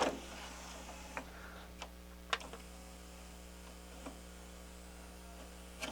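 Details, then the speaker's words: Harman Kardon HK 720 CD player after cleaning the dirty tray belt that caused loading trouble; quiet motor hum with light clicks as the tray moves and seats, no slipping. "problem it's working good now"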